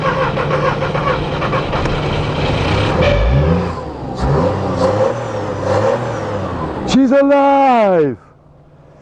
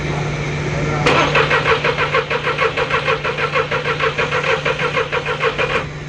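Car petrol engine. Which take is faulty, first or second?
second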